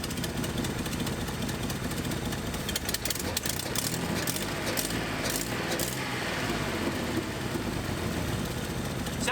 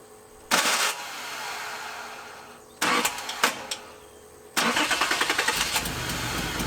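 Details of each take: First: 1981 Nissan 280ZX six-cylinder, sat 15 years, idling with a broken injector connector wire pushed back in so that injector fires again: a steadier idle with slight remaining unevenness. Improved idle; the connector is to be replaced. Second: 1981 Nissan 280ZX straight-six, five-speed, sat about 15 years: cranking bursts, then runs with an uneven stumbling beat, idling in neutral but dropping a cylinder; misfire from a dead, non-clicking fuel injector.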